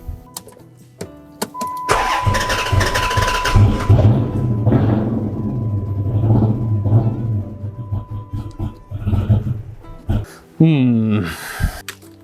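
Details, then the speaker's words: Chrysler 300, just rebuilt and sold, quit running within 30 minutes; on regular gas it catches but runs rough, coughing and sputtering unevenly, with a compression test next. "yeah yeah it's still going to spot a cough and sputter at the beginning for sure but hopefully we can get this thing to clear up a little bit"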